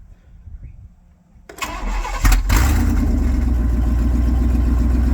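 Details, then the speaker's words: Truck V8 just after both catalytic converters were cut off, before new high-flow cats and X-pipe: starts and settles into a deep, very loud, raw open-exhaust rumbling idle, sounding like an old truck. "Oh yeah. She sounds like an old truck. That thing sounds crazy. It's so loud though."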